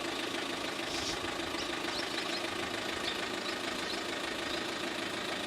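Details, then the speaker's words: 2007 Renault Megane 1.9 dCi diesel, neglected car brought back to running: steady, fairly loud diesel clatter at idle, ticking evenly with no misfire; healthy if a bit noisy, sounds like a truck. "The engine's a bit noisy. I'll show you up. Oh yeah! Come to me, girls. I drive a diesel."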